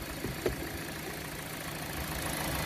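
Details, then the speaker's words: Hyundai Elantra stalled after driving through a flood puddle, oil pressure switch cleaned, running without air filter while drying out: quiet, even, smooth idle with no knocks or ticks; engine healthy. "but it starts and runs quiet as a mouse there you go"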